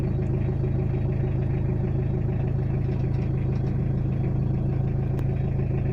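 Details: Tata Indica diesel after injection pump calibration with rotor blade and camshaft replaced, fixing rough idle: steady, even idle at about 200 beats a minute, low rumble, no misses or hunting.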